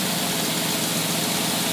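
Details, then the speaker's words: Predator small engine with rebuilt, re-chromed carburettor on test: loud steady idle, hands off, settling toward 600–700 rpm with an even beat, no misses or surging; carburettor runs it fine. "as you notice my hands were not even touching the thing thing runs perfect started again for you okay we're idling here about somewhere around well it got down there"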